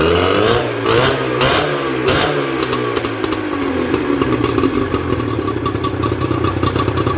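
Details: Johnson 50 HP two-stroke outboard on a restored Taylor 5.25 m boat, thermostat fitted: starts easily, blips a few times, then holds a steady note with no misfire or knock; normal running.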